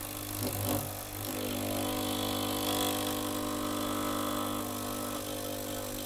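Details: Gaggia Cubika espresso machine, bought used, heating and vibratory pump running with steady low buzz but no water or steam output; element hot, being primed with syringe, water only passes when forced through.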